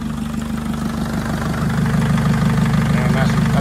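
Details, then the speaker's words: Mercedes Sprinter Luton (2006, 904/905), OM611 turbo diesel, first start after engine rebuild, manifold refitted, about 129,000 on the clock: even, steady diesel clatter at idle with a low regular beat, no misses or knocks; sounds very good. "you know i think we'll have a top quality sounds very good"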